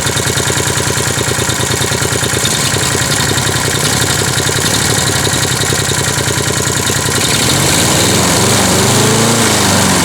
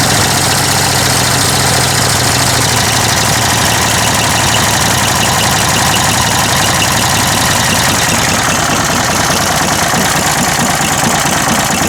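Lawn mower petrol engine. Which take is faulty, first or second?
second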